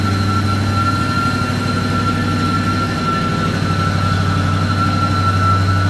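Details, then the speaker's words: 1966 AMC Marlin 327 V8 with rebuilt engine, cold-started after pumping the gas, gives a loud steady whirring over a fast, even idle; it comes from a clutch that is spinning when it shouldn't, and the noise goes away. "Right away you can hear that clutch. Not supposed to be spinning. We'll fix that."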